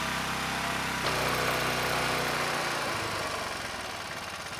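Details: ETQ 2700 W generator with brushless powerhead, long stored, original jetting, no load: after fixing surging, engine runs fast and smooth with a high steady buzz at 70 Hz, then tails off; overspeed from governor set too high, still ~65 Hz with spring slackened.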